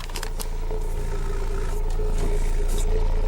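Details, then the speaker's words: Klipsch ProMedia subwoofer, over 10 years old, playing 28 Hz test tone: deep steady bass drone with a tinny buzz on top from a nearby thermometer rattling in the vibration; cone shows no tearing. "Oh! It's making the thermometer rattle. Alright, so the thermometer is part of the rattling."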